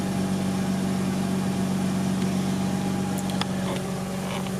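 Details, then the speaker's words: Mazda RX-8 rotary engine at first start after rebuild; steady even idle with smooth low hum, no knocks, misses or rattles; normal idle. "so as you can see the baby's running"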